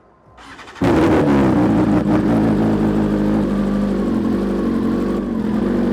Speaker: And that's a cold start. You can hear it's not starting and stalling at all.